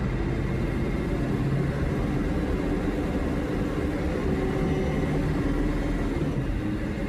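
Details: Ford 7.3 Powerstroke diesel revving: heavy rumble like a garbage truck with a faint whistle on top; abnormal noise, cause unclear.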